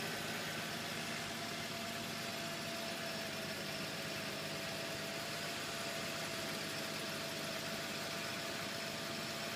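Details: Infiniti G35, engine bay: steady idle with a constant high chirp, buzzing, rattle and gritty grinding; likely belt, pulley, tensioner or idler, source unconfirmed.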